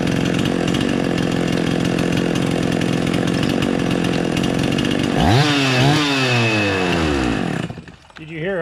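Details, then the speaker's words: Husqvarna 50 chainsaw idling steadily, then head bolts loosened to create an air leak: idle speed swoops up and down and nearly dies, erratic and unadjustable; air leak upsetting the mixture. "I'm gonna loosen the head bolts up and you'll hear a definite change in the RPMs of the idle and that's what you're listening for it's one of the one of your clues when you're trying to diagnose an air leak"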